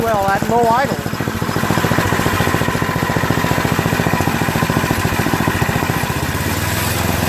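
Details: Tecumseh two-stage snowblower single-cylinder engine idling after the float-bowl fuel jet nut was unclogged and the cracked primer line cut back and rerouted; steady fast beat, no rising and falling surge as before. Running smoothly.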